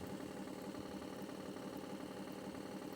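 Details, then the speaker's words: RV blower fan motor won't self-start, needs a finger flick; quiet low hum pulsing unevenly three or four times a second, running really slow; supply voltage cycles about 12.5 to 13 volts; failing motor. "It actually went bad, and I'll show you what it's doing here. It's running really slow, and pretty much the fan motors is going on it."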